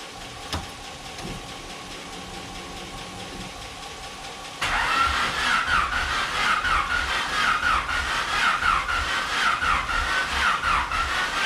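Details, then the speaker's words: Honda engine with new turbo kit, first start attempt after rebuild on a jumped battery: starter spins steadily about four beats a second for seven seconds but never catches; later misfires, owner suspects injectors, distributor or ignition wires. "sounds super dead almost fired up though"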